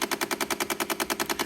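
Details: Car parked with engine off on rainy night, sound seemingly from inside dash: rapid, perfectly even clicking about nine per second; diagnosed as faulty door lock actuator, replaced and resolved.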